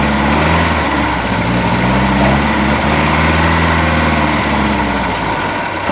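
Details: Boat engine just fitted with new manifold, on water muffs: loud, steady, low drone with uneven lumpy pulse about four a second; runs rough, ignition timing off and carburetor needs rebuilding, oil still water-free.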